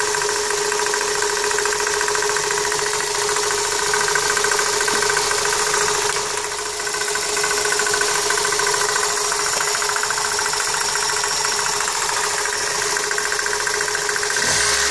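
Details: 1999 Toyota Corolla at idle: light quick knock about three or four a second over a steady hum, intermittent but more frequent lately, seemingly from power steering pump pulley (pulley tight); owner suspects pump bearings or belt tensioner.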